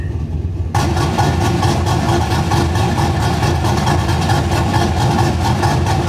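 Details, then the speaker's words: Gen 3 V8 with a mild cam (216/220, .550 lift, 114 LSA) at idle, deliberately tuned too lean for comparison: a deep, lumpy, choppy idle that hunts and never settles evenly. "and then here's going to be a sound clip of it running to lean I'll go ahead and do that right now"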